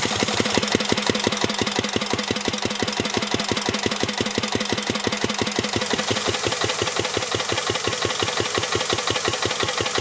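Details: 1949 Petter A1 air-cooled single-cylinder stationary engine driving a homemade generator; crisp evenly spaced firing beats at steady pace, no knock, running healthy under load.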